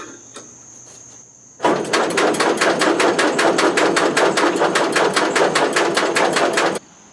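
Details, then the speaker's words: Family's Allis-Chalmers Model B tractor, four-cylinder gasoline engine, sat about eight years; after carburetor cleaning, starter cranks in even chugs, two–three a second, never catching; owner believes fuel present, compression sounds good, but plug shows no spark. "okay so what I have determined thus far is I believe I'm getting fuel I'm not gettin spark'd I just took this spark plug out tapped it against the frame while cranking and I was not seeing any spark on that so I'm thinking I have a spark problem because compression sounds good"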